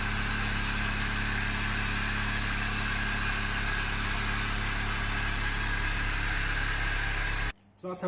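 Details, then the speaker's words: Toyota Yaris after replacing the centre pipe, centre box and rear silencer: start-up check showing an even, steady idle with no puffing or ticking at the joints; the exhaust sounds sealed, with no leak. "when you're happy it's time to start the car and check for any leaks"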